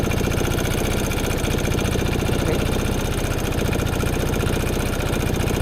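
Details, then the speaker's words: Piaggio Fly 150 3V ie scooter (2017) idling just after a cold start with panels off: a steady, even putter with no stumbles or misses, with no vacuum leaks found and a healthy, clean idle. "Okay, so starts right up, and there are no vacuum leaks anywhere that I can find."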